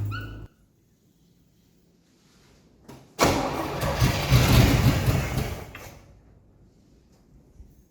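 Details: 1982 Pontiac Firebird Trans Am 305 V8, first start after 12 years sitting: a few seconds of steady rhythmic cranking that never fires; engine sounds tight, no start.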